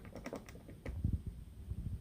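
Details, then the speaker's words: Harley-Davidson Twin Cam rocker arm without rocker locker sleeve: light quick clicks and taps as it is rocked by hand, rattle from excess play on rocker bolt; the side with a locker installed is nearly silent. "This side has no locker. You still hear that rattle. So clearly rocker lockers are going to eliminate that."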